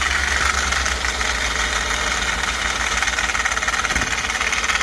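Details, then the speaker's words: Ford F-150 at idle: rough, irregular chatter and rattle at the engine front with a shredded belt. The worn plastic idler pulley has play and is making the noise. Harmonic balancer was also suspected. "no that's the one making the noise because i thought i heard it up here but feel this one down here which these are plastic which is kind of crazy"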